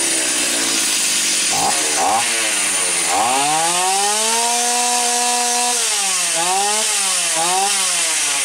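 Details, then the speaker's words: Stihl 028 AV Super chainsaw, claimed to have low compression. A crisp two-stroke idle is set deliberately very low, then the saw revs cleanly to high and drops back. The carburetor was slightly rich on the high-speed circuit and lean on the low-speed circuit. It sounds healthy. "I've got the idol turned as low as I possibly can and still have it run properly it's lower than it needs to be but I was trying to make a point low compression it's not gonna run at that low of an idle"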